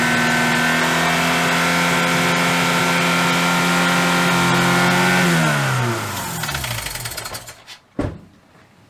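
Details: Dodge Neon ACR revived after sitting, with cylinder two not firing and the MAP and knock sensors found unplugged. Uneven, lumpy running with a stumbling beat, then revs sag and the engine dies: a misfire from a dead cylinder.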